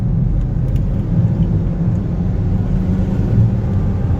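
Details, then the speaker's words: Volvo XC90 on its first drive, engine loaded. Deep uneven rumble with a faint irregular stumble in the exhaust beat: a misfire under load, also felt as stutter and shaking. "If you load it up though, it definitely has a little bit of misfire."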